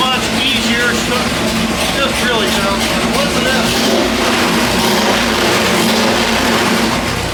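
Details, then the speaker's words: 406 small-block Chevy on the dyno, pump gas, ported Jegs aluminum heads, stock cam, dual-plane intake, timing increased and carburetor jets dropped about three sizes front and rear: strong steady roar with no misses, running much cleaner before a pull. "Um, so we're going to make a pull on it and see how well it runs. Um, whether it makes more horse, but it surely does sound better."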